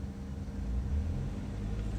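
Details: Chevy Malibu after P0016/P0017 cam timing repair, cam data near 0.50 at idle: short throttle blip over steady low rumble, smooth with no rattle or stumble; exhaust cam desired 12.3 vs actual 12.1, matching; healthy.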